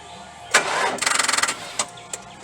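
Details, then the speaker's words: 4.6 L V8 with a dead battery on a Stanley Fatmax 700 peak amp jump pack, second attempt after about five minutes of resting: half a second of weak starter pulses, then it stops without catching; the pack cannot crank the engine. "that seems to be a fail if we do check still has two that ain't enough to crank her over boys"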